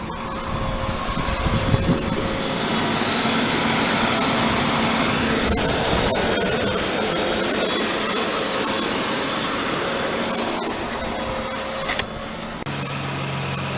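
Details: 1996 Ford Explorer just started after starter solenoid replacement: steady, even engine hum at smooth high idle, no knocks or misses; normal fast idle.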